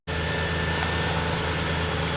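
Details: Toyota T100 V6 with almost 300,000 miles, after alternator replacement (charging was low; a loose connection was possibly the cause): smooth, constant idle with a clean low hum and no knocks, squeals or stumbles. Normal idle.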